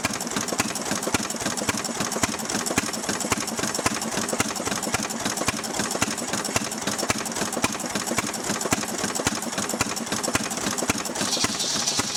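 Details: Restored 6hp Fairbanks Morse Model Z single-cylinder engine on kerosene driving a buzzsaw cutting firewood: even, sturdy firing about two beats a second with no knocks or misses; healthy, normal running under load.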